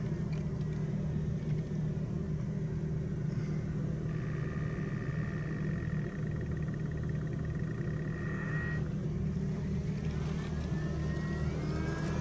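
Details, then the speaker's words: BMW F10 535i xDrive after full timing chain replacement, first start, coolant bleeding procedure: quiet even idle, faint steady high hum from about four to nine seconds as the electric coolant pump runs bleeding. "And then after 5 seconds, it'll start bleeding. And you can hear it."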